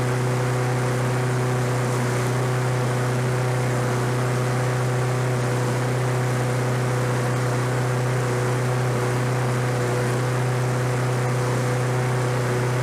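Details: Roadside-discarded Lawn-Boy 21-inch self-propelled walk-behind mower, revived on fresh gas, low compression felt: steady, even single-cylinder drone without misses, surging or knocks; running normally.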